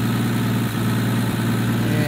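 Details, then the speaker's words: 1965 Plymouth Barracuda with 225 slant-six at idle: steady low idle with a faint quick puffing tick; exhaust leak between the intake and exhaust manifold. "got exhaust leak out here between the intake and exhaust manifold"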